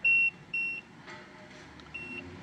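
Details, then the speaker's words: Peugeot 3008 after a battery replacement, won't start, BSI flagging brake faults, about 11 V at the battery: two loud high beeps half a second apart, then a fainter third, with nothing running. Dashboard warning chime; cause suspected, not confirmed. "this beeping is hella annoying"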